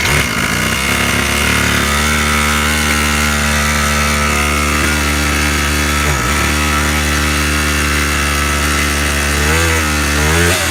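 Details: Razor scooter engine conversion rebuilt after the piston rings were found broken, compression now restored. The buzzy two-stroke holds a steady, even note with clean rev changes and no knocks or misses. It runs normally.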